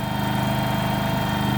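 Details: Kohler engine in a Terramite T5 mini loader, which previously would not stay running, after fuel pump replacement: steady, even idle with a quick smooth chug, no stumbling or dying; running normally.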